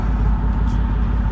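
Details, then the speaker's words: Petrol engine idling with an uneven, stumbling putt-putt beat; scan shows constant misfire on one cylinder that ruined the catalytic converter. Plugs changed about two years ago; suspected dead coil (possibly fouled plug) giving no spark while fuel still enters the cylinder. "most likely what happened is the coil is dead in it and it's not causing a spark which the fuel is still going to deliver into that cylinder"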